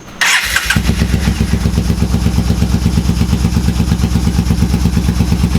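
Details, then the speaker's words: Yamaha Bolt V-twin just reassembled after Dynojet Power Commander install and started: uneven loping idle near two pulses a second; front cylinder stays cold while rear heats, suggesting one cylinder not firing. "idling very weird. Yeah. Or maybe it's idling really well. It sounded like it was only running on one cylinder."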